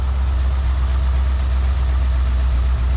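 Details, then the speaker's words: Long-abandoned 1971/72 Ford Mustang V8 at idle, no smoke except under heavy acceleration: deep, steady, even low rumble with no knocks or misses; runs smoothly. "what do you think I think it runs really well I think it's pretty"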